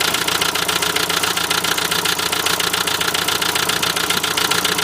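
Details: Renault Trafic van, 2.0 dCi M9R diesel, at idle: sharp, even metallic knock about 2.5 times a second; owner wonders if an injector is the cause, unconfirmed.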